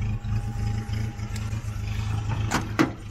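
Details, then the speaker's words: 1976 Datsun 620 pickup camper with a carburetor needing a rebuild and a tank needing cleaning, tends to stall: low idle on choke with an uneven, stumbling beat and occasional dips; rough idle. "now you can see that uh the choke kicked in and now you can hear how it runs now that the choke is engaged you hear it"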